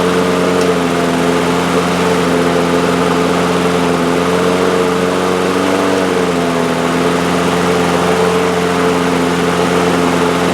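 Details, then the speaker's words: Two-year-old DeWalt mower with Briggs & Stratton engine, after freeing a stuck choke: one-pull start, steady even hum at constant governed speed with no hunting or surging; running normally. "I like that much better. We're back in business now. Enjoying a one pull start. That's how it's supposed to be."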